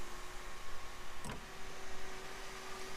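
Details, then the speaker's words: BMW E90/E91/E92/E93 3 Series, key on, sunroof button held in for a roughly 30-second reset: a steady low motor hum with a thin constant tone and a brief click midway. Normal sunroof motor operation during the recalibration cycle. "We're going to hold in until the sunroof runs its cycle. Should be about 30 seconds if I remember right. Alright, you're going to hear it run a cycle."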